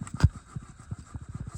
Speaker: By the way, the grinding noise was this compressor bearing.